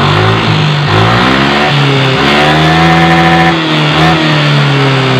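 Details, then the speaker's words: Yamaha NMAX engine ticking that speeds up with rising revs over the engine drone and doesn't vanish on throttle, so not CVT; suspected in cylinder head/block area, to be located with a long screwdriver as stethoscope. "putaran mesin tinggi suara semakin tinggi ngikutin durasi Berarti ada kemungkinan di bagian set head block"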